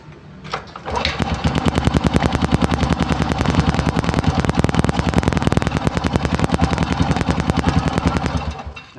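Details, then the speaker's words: Honda Supra motorcycle just fitted with a new replacement carburetor (new slide and needle) because the old carb had a worn main jet and the bike stalled; ignition was fine. First start, no adjustment yet: catches quickly into a crisp, even putt, running healthy. "ini belum bawaan pabrik setelahnya kita cek saja barangkali ada kurang pas atau bagaimana ya kita coba lagi ini langsung yang pertama kali dihidupkan dari pulsanya tadi ya belum diutak-atik"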